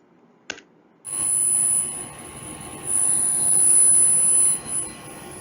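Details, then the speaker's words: Gree GMV multi-VRF outdoor unit: hard electrical sizzle with a steady high whine over the unit's rushing noise, electromagnetic noise from a reactor of poor quality or damaged; the fix is to check the reactor for damage or replace it. "the reactor just makes the annoying noise sizzling right and the measure is also very easy to just check whether is there any damage from this reactor or to replace a new one"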